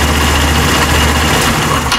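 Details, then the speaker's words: Italika WS-150 single-cylinder motorcycle after crankshaft, bearing and magneto repair: quick, even chatter at steady revs with no knock or rattle, engine noise gone and normal running; it still smokes white, and a ring kit is planned. "hasta ahorita la moto los chicos de que ya arranca y andan ya la moto ya no tiene ruido se arranca ya anda"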